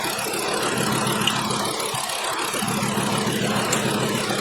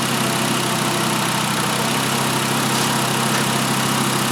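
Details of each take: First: 2012 Volkswagen Jetta 2.5 L five-cylinder with a constant misfire, idling with one cylinder's plug unplugged: uneven stumble about three beats a second over a steady hum. The same cylinder still skips after swapping coils, so the coil is ruled out. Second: 2012 Volkswagen Jetta 2.5L five-cylinder after replacing all five worn, wide-gapped spark plugs that caused a constant misfire: steady even idle under hiss, no stumbles or skipped beats; smooth and healthy.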